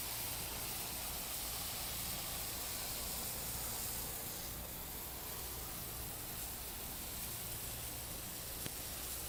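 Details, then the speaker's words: IK sprayer after pressurising until the pressure release valve pops: even, continuous hiss held steady through the burst, no sputter or pressure drop, sprayed to end of charge covering about a fifth of a car; normal spraying. "i mean that was that was a fantastic spray pattern i was able to knock out let's just say a fifth of this car here"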